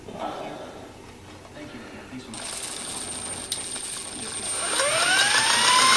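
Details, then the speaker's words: eFlite Blade 400 flybarless RC helicopter, first spool-up after rebuild, out of throttle hold: motor whine rises smoothly in pitch, no grinding or rattle; blades look straight and tracking, clean healthy spool-up. "looking smooth so far. Looking good. Everything's nice and straight."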